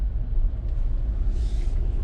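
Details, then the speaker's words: 2020 Jeep Gladiator Rubicon, 40k miles, second start in a cold shop after a misfire fix (dead cylinder 2) by cleaning the cam phasers in the computer; low, steady even V6 idle with no skips or stumbles, normal. "Second start seems to be okay. Just can't get over that cleaning the cam phasers in the computer made a difference."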